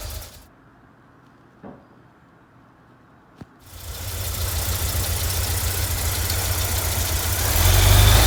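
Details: 1989 VW Vanagon 2.1 WBX engine after new fuel hoses and fuel pressure regulator: it catches and settles into a low, lumpy, uneven rough idle. Owner thinks the injectors were poorly seated; not confirmed.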